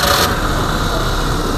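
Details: 2019 Suzuki Every (Hijet) start after tune-up for misfire and vibration (new spark plugs, coils checked, air filter, throttle body and injectors cleaned, engine mounts replaced): brief crank, then steady even idle with no missing, RPM correct.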